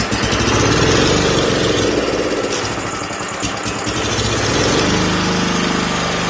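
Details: Wheel Horse tractor single-cylinder engine, first start after rebuild: fast, fairly even putter at about three to four beats a second, holding speed steadily; ran flawlessly for about a minute before a fuel leak and oil burning appeared; normal running.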